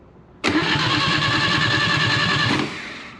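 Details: Atomic 4 ex-sailboat gasoline engine on 12-volt battery and remote starter, oiled cylinders, no coil or spark yet: steady, even starter churn about two seconds with no firing or catching; healthy normal cranking.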